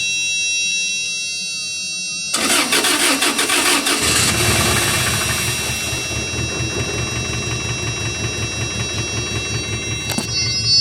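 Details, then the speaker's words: 2000s Toyota Tacoma, sat for years; cranks briefly, catches quickly and settles into an even, steady idle with no knocking or ticking over the exhaust pulse, no tailpipe smoke; engine sounds healthy. "She runs. Doesn't sound too bad, actually, to be honest with you. No smoke out the tailpipe."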